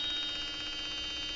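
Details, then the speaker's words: 2002 Ford F250 Super Duty Powerstroke diesel in a warm shop, after a cold no-start: the glow plug relay reads about 11 volts on both sides and makes a steady high-pitched buzz with a faint pulsing flutter while energized. "I've already checked it once, but we've got right at 11 volts on both sides of that solenoid. You can hear it making a buzzy buzz noise there."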